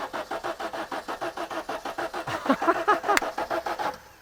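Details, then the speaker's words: Audi GT left outside for over 7 years, after freeing a seized plunger and fitting a fuel pump; even cranking about five beats a second for four seconds, never firing; no spark, suspected bad distributor or ignition control module: crank no start. "All right, well this is good. Things are moving. there's only one problem. Okay. Now we don't have any spark for the spark plugs."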